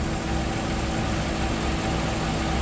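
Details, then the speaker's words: 1997 Chevy Venture van, after a starter replacement, first start on a recharged battery after sitting; H and C: steady low idle drone with a slightly uneven, lumpy texture. Rough idle, and the owner suspects old gas; it clears up as it runs. "It's running rough, but it's running. It's coming around. It's coming around. That gas can't be any good in it. Yeah, it's running a little bit rough."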